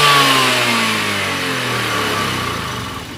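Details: Honda Beat FI 110 injected scooter, no MIL codes, fuel pressure and injector checked: revs fall away after the throttle closes and the engine dies; cause found to be valve clearance, not fuel or idle screw.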